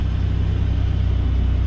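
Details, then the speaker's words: Ford Raptor at Copart, possibly EcoBoost, just started: smooth, low, even rumble with steady regular pulse, no misses or knocks; sounds good. Normal idle. "so you can definitely tell what this thing she sounds good"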